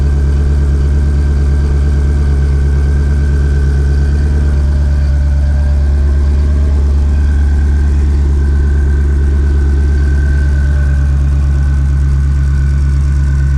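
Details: 2020 Shelby GT500 Mustang V8 with a freshly installed Whipple 3.8 supercharger, idling while it warms toward operating temperature: deep, steady low rumble at an even idle with no knocking, ticking or belt squeal. Normal idle.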